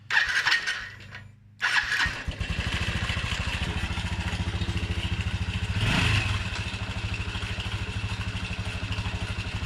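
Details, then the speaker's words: 2017 Honda NBC110 Super Cub, bought disassembled, in neutral with fuel, cranked without starting: good compression, quick uneven chuffing with a light mechanical rattle on top; owner may pull covers to find the rattle. "Alright, so that's That's really good news. It does rattle a bit. There is a bit of a rattle in it, so that might be something I need to look at."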